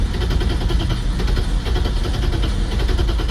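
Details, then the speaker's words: 1990 BMW 535i E34 inline-six sitting for years, on a jump pack with the fuel pump heard; steady fast cranking that tries to fire but never catches. Owner suspects the fuel pump fuse, a 7.5 A fitted where 15 A belongs. "okay so I found the fuel pump fuse and I think that's our culprit for not starting"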